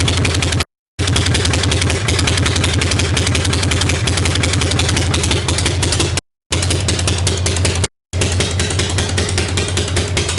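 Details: 1965 Harley-Davidson Panhead V-twin after a new cam and cam bearing, pushrods, hydraulic lifters, carburetor work, top motor mount, choke, a new ignition coil and ignition timing set: loose, even potato-potato idle with no knocks or rattles; normal idle. Generator voltage readings are erratic.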